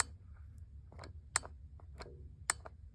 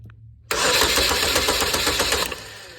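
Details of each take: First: 2015 GMC Terrain 2.4 Ecotec intake VVT solenoid bench-tested with jumper leads, sharp crisp plunger clicks as power is applied, working normally (about 11 ohms); code P0016, timing chain jumped and stretched from low oil, fixed by new chain kit. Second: 2015 GMC Terrain 2.4 Ecotec with codes P0016, P0089 and P228D and limp mode; low oil made the timing chain jump and stretch. Cranked via a push-button starter: fast, uneven rattle of a very slack chain slapping; a new timing chain kit fixed it.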